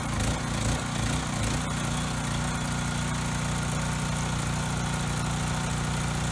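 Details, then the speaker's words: Coleman Powermate Pulse 1850 generator, surged when last run over a year ago, after carb cleaning and new fuel lines and filter, air box refitted. Brief uneven start, then a steady, even drone with no hunting or surging. Needed no adjustment; setting two and a quarter turns out. "okay good in this case it really didn't need any adjustment you know with or without the filter it seemed to be at the same setting"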